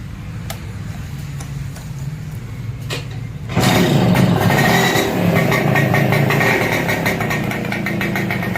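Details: Super XL moped idling right after the silencer was cleaned (carbon burnt out) and refitted: bursts then settles into an even steady putter with no misses or rattles; normal healthy idle.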